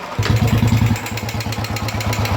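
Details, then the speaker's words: Royal Enfield 350 Electra after fixing a top-end tapping noise by fitting a small rubber ring so oil pressure reaches the top: even, steady single-cylinder thump at idle with no tapping; smooth and healthy. "गाड़ी कितनी स्मूथ हो गई है। पहले इसमें किस तरह का साउंड आ रहा था और अभी देखिए कैसा साउंड आ रहा है, एकदम प्रॉपर क्लियर हो गया है।"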